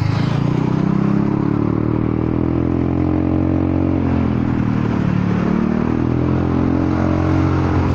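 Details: Honda Forza 300 scooter, riding with an aftermarket exhaust; fuel tuned lean, so it booms. Very loud, raspy drone rising and falling with throttle, far louder than stock; the owner suspects something inside the muffler has come loose.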